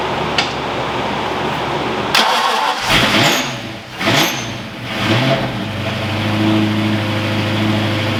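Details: Ford Foxbody V8 freshly rebuilt in one day, after injector and ground troubles: cranks, catches cleanly, blips up and back down, settles into smooth even idle; warmed to about 200 degrees before thermostat opened, no oil leaks, normal start and rev.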